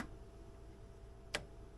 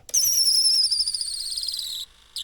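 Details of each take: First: Classic fuel-injected Polaris RXL Indy triple snowmobile, a barn find. A second fuel pump gives one faint click and no whir when powered. It has voltage, and a bad connection unable to carry current is suspected. The fuel pump does not run. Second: Polaris RXL Indy fuel-injected triple snowmobile barn find, fuel pump lubed with WD-40: high, thin electric whine about two seconds at key-on then stops cleanly; pump primes normally and may be usable.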